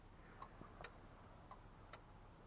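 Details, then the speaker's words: Pickup truck with a 5.4 engine: opening the door set the interior lights blinking like a turn signal, and sharp dry clicks come from under the dash at about two a second as the signal flasher relay keeps cycling. "You can hear it's literally clicking in the signal flasher down here."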